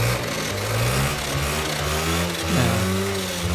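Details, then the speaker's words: Honda Scoopy scooter after rebuilding a final drive left without gear oil change for five years, with new plates fitted: idles evenly but a thin whine remains from the worn final-drive gears. "masih ada bunyi Nir ya masih ada bunyi itu itu karena girnya aus teman-teman"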